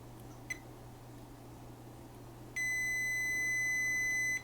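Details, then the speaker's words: Kessler Crane camera control box, not working: multimeter diode/continuity test gives a faint tick then steady high beep for nearly two seconds, showing a dead short to ground on a power MOSFET emitter pin. "so we have a short there so we have a short on the emitter the emitter pin"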